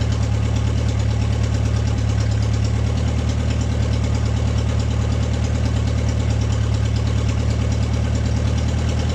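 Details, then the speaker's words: Steady, even idle with a deep low thrum and no stumbling or hunting from an MG pulled from the woods, at its first start in 22 years; it runs cleanly without choke. "Huh? It starts without a choke."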